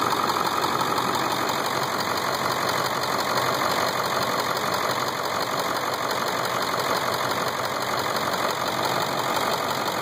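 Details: Ford 7.3 diesel at idle: steady even clatter with regular tick about three per second, no deep knock; owner feared a knock, but 70,000 miles later confirmed healthy.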